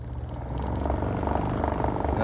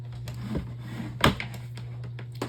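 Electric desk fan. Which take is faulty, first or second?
first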